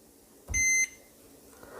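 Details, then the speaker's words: Multimeter continuity test of a mobile-phone capacitor, off the board: a single steady high-pitched beep of about a third of a second, meaning the capacitor is shorted; a good capacitor gives no beep. "और फिलहाल ये short beep की आवाज आ रही है और आप इसको देखें ठीक है"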